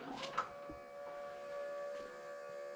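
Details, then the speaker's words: 1932 Chevy that ran out of gas and won't start after refueling: with the key on, the electric fuel pump hums thinly and steadily but never primes or picks up fuel. Owner suspects the fuel pump or a plugged filter. "I remember turning the fuel pump on or when I turn the key on I could hear the fuel pumping it it never did uh it never did Prime"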